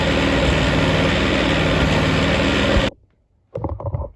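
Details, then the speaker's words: Yerf Dog go-kart small engine, first start after a carburetor clean, fresh gas and a cleaned tank and filter, choke on: uneven lumpy putter of about three beats a second, then it cuts out; rough running. "All right, it's running. It's not pretty, but it's running."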